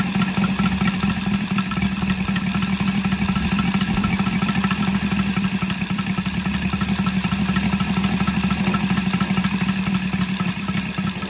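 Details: Brand-new Saito FG-73 five-cylinder radial, fully upgraded with Morris Mini Motors hardware and exhaust ring, on a Biela 20x10 four-blade prop (600–5500 rpm): steady, even low pulsing beat, no misses or rattles; normal, healthy running.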